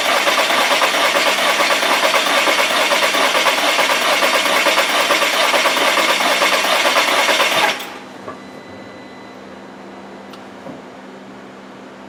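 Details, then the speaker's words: 2015 VW Tiguan 2.0T GDI, flashing check engine light, P0304 cylinder 4 misfire, new plugs and coil already fitted: even cranking about two beats a second with one light stroke; cylinder 4 compression lost, dead hole. "when I first cranked it over it it had compression it you could hear it you heard the change so Cinder 4 is a dead hole we're losing compression in cylinder 4"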